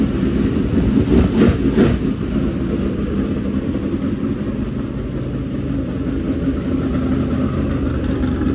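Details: Fresh dirt-track race V8 at fast idle: a strong, steady mid-pitched drone with a brief rough patch early, then even running. Normal running.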